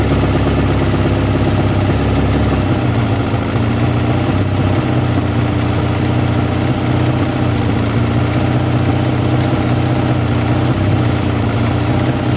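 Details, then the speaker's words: Kawasaki ZL600 first start after fitting new battery, air filters and exhaust sealing, not yet warmed up: steady even idle with smooth exhaust note, no knocks or misses, running cleanly. "as you can hear it sounds amazing that there's their whole is obviously going to be so yeah it's very smoothly start his own forms fools over the moment"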